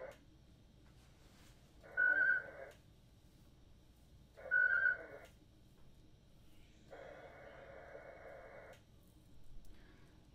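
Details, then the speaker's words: Winlink ham radio email transfer while sending emails (transmitting subject, offset zero): short warbling tone bursts every couple of seconds with quiet gaps, normal packet transmit and receive, modem working. "So now it's saying transmitting subject offset zero. So it's sending my emails."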